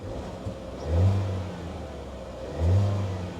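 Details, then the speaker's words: Engine on an auction vehicle, revved to check for rattles: two quick throttle blips rise and fall cleanly with no rattle or knock; engine sounds healthy. "I rev them so I can hear if anything is rattling"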